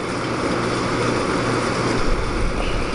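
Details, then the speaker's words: Small window air conditioner with LG compressor, recharged with refrigerant transferred from a Fedders unit, not run in a while, on low fan; even steady compressor and fan hum, no rattles or cycling: normal running. "but yeah i mean it's performing quite well and you can hear how i mean that's low fan or high fan this is low fan these units are really quiet and the"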